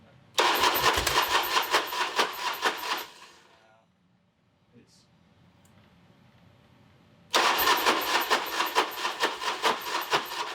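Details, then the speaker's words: Harley bagger after engine rebuild for failed cam bearings: two bursts of steady even cranking with a pause, never catches; no fuel reaching injectors, suspected popped, pinched or rubbed-through hose. "So I'm going to investigate further because I know I'm not getting fuel to the injectors right now for whatever reason."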